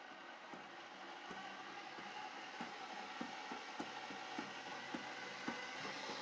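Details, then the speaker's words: Second replacement Ooni Halo Pro spiral mixer, box appeared previously opened, run empty with no dough just out of the box: sharp knock about 100 per minute over motor hum, uneven timing; faulty, owner suspects the belts. "Knocking straight out the box. So that's faulty."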